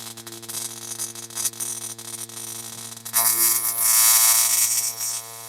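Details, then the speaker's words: Simson/MZ ignition coil on Bosch tester spark gap at about 12 mm: irregular snapping sparks with gaps then hissing discharge, spark barely holding with misfires and weak stringy sparks; possibly a contact problem, clean and strong at 10 mm. "Und bei 12, ja, jetzt, also hier für mich sehe es 12, ist gerade so, ne? Gerade so noch. Ja, also 12 sehe ich, dass es gerade noch mit Aussetzer geht."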